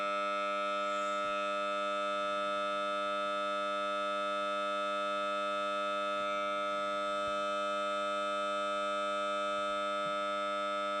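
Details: Samsung Note 9 loudspeaker randomly makes weird noise during playback, stopped only by rebooting the phone: steady harsh fixed-pitch buzzing drone with faint ticks; cause unknown.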